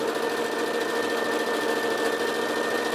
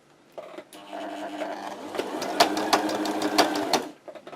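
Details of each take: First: Sewing machine on straight stitch after repairing a knocking and dragging fault on zigzag: steady, even whirr with a light regular needle tick and no knocking, stitching cleanly top and bottom. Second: Sewing machine on wide zigzag knocks and drags: sharp, uneven knocks about three a second as the thread catches on something, traced under the needle plate to a burr.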